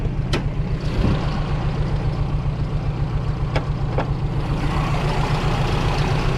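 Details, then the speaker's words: 2001 Dodge Ram 1500 V8, open pipes: loud, uneven stumbling idle about three or four beats a second; owner thinks he blew a gasket, cause unconfirmed. "I think I blew a gasket huggy pretty shoddy because it likes to stumble it's not not having it"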